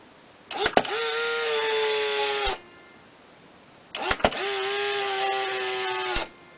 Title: Looking through the viewfinder of a Polaroid SX-70 / What it sounds like